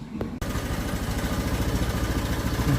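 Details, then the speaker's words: Honda Vario 125 scooter that stumbles on cold start and won't idle cold but runs normally hot: compression restored by flushing, throttle body cleaned. Even single-cylinder putter holding a steady warm idle without stalling after 3 minutes; still dies once or twice in the mornings. "ini sudah aman nih Sudah 3 menit sudah enggak mati mati memang satu kali dua kali mati-mati kalau pagi Oke sudah aman ya"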